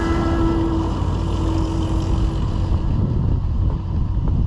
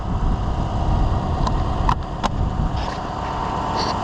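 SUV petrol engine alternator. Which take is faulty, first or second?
first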